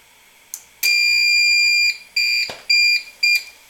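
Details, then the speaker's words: APC Back-UPS 650 bench test with adjustable input voltage: raised from 123.7 V AC, it switched to battery for too-high input voltage. High, piercing beeps at an uneven rate, about two a second, likely the on-battery alarm. "now it's switched to battery power because the incoming power was too high voltage"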